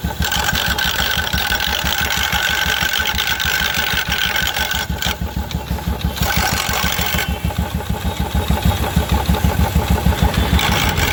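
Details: 2016 Royal Enfield Electra 350 with clutch cover removed: steady single-cylinder idle with a loose metallic rattle riding on each beat from the clutch side; worn clutch-side bearing and primary drive gear.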